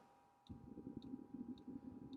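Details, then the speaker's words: 5 kW Vevor diesel parking heater starting in an off-grid shed at about 25° outside: crisp, evenly spaced fuel pump ticks, about two a second, over a steady hum and rising blower rumble, smoking a little before it ignites; this is normal. "I can hear the pump underneath the shed ticking away smoking a little bit until it gets up and running"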